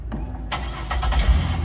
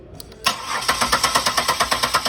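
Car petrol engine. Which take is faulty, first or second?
second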